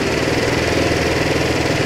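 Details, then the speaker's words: Kymco Agility 125 scooter after carburettor cleaning, air screw opened about half to one turn in small steps until idle rises: steady, even single-cylinder idle, quick regular putter, no misses or surging; normal idle. "abriendo media vuelta primero y se va acelerando otra media y sólo por cuarto muy delicadamente la vamos abriendo hasta que la moto se acelere un poco"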